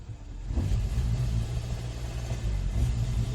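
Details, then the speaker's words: 2014 Hyundai Sonata, P1326 knock sensor code, flashing check-engine light, full throttle: engine rumbles up briefly then holds a low, flat drone, never passing 2 on the tach; limp-mode rev limit, also hesitates accelerating from stops. "it doesn't pass the uh the number two yeah the 200 200 RPM you see I got all the gas pedal pushed"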